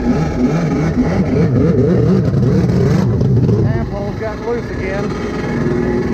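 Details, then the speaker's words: Rebuilt SuperFreak two-stroke watercraft (760), day three on the water, carbs rebuilt with new kits on both, still unsolved: revs unevenly, surging and stumbling, never pulling clean under throttle. Poor running, carburettor fault suspected. "Well, as y'all can see, the ski is running like crap. Um, couldn't ever get it figured out. Um, tore the carbs apart multiple times, put different, uh, jets in it, everything."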